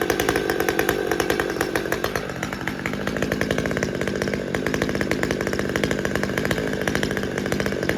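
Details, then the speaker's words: Husqvarna T540xp Mark III chainsaw, about 6 months old, after fuel filter replacement: fast, even two-stroke putter idling steadily for over a minute without stumbling or dying; normal idle, shutoff problem cured. "Well, it's been over a minute and it's still idling fine and hasn't hiccuped at all."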